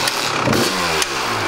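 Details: 1998 Kawasaki KX250 two-stroke, fully rebuilt top and bottom end but ran poorly, after case split, reseal and reassembly: kick start, crisp crackle settling into quick, busy, even idle; normal start and idle.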